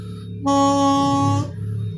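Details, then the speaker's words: Yamaha Sigma two-stroke motorcycle with constantly flooded, wet spark plugs: reinstalled reed valve blown by mouth gives a clean, steady horn-like tone about a second; petals now sealing properly, membrane working normally again. "nah kan bagus kan jadi trompetnya itu udah bunyi dengan secara normal gitu"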